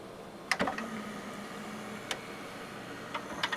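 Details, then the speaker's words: Teac PD-D1500 CD changer from a thrift store, after repair, playing discs: crisp clicks and a soft motor whir as a disc loads, no grinding or slipping; working normally. "yep as you can hear it's working just time playing the discs"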